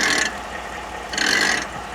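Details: 2011 Ford F-150 idling with front wheels up: two sharp ratcheting grinds from the front right hub, a bad IWE actuator (vacuum present, actuator likely failed) letting the hub catch; clicking goes away in 4WD.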